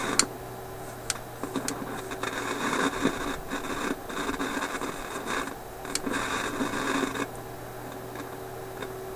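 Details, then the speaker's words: Philips 922 vacuum tube radio after about an hour running, signal generator in background: hiss with irregular crackles and static bursts over a low hum, coming and going; intermittent noise traced by scope to the faulty first IF stage. "okay so I've had this radar running for about an hour and you can hear my signal generator in the background and this hash just showed up after about an hour yeah that's disappointing"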